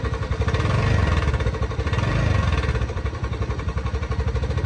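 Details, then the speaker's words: TVS Ntorq scooter at idle, one-way clutch already replaced without fixing it: fast light tak-tak clatter keeping pace with engine speed; cam chain rattle. "आवाज त सुन्नु नै भयो हैन, पुरै ट्याक ट्याक ट्याक ट्याक ट्याक गरेर आवाज आइरहेको छ।"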